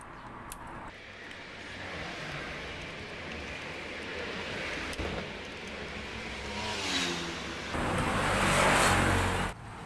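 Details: Yamaha RX100 test ride after fixing loose gear linkage causing hard shifting (redrilled bracket, aluminium shim): engine pulls up through revs and eases off between gear changes with no clunks or stumbles; running normally.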